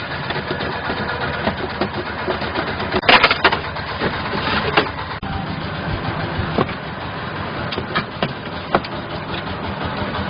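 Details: Mechron 2450 utility carrier driving: irregular hard clunks and rattles over a steady engine drone, worse uphill and on rough ground. Belt and transmission oil are fine; one joint is badly damaged, and the finding is a broken part.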